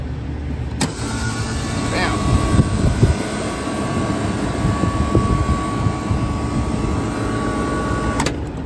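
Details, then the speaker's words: Freezer refrigeration condenser fan motor, tech sees no issue with it but may quote a replacement: starts abruptly, steady clean hum about seven seconds then cuts off, no grinding or rattle; pressures normal afterward; healthy run. "Dam all right much much better we got normal pressures now"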